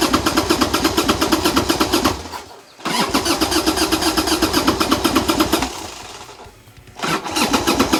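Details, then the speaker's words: 1990 Harley-Davidson Sportster 1200 after 10 years in storage, with old gas drained, new lithium battery and new plugs. Two bursts of cranking with brief coughs that nearly catch and lots of smoke; owner suspects fuel, carbs may need cleaning. "this is exciting this really is exciting I mean that's the closest it's been this start for over 10 years so we're on the right path there's so much smoke there's so much smoke"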